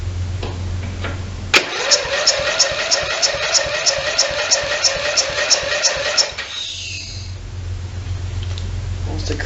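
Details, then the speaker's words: Simplicity 4212 riding mower, long-sitting with stale fuel, starting fluid tried: starter turns over sluggishly at about three labored strokes per second without catching; slow cranking, cause not pinned down. "kind of slow [Music] yeah it fires for sure"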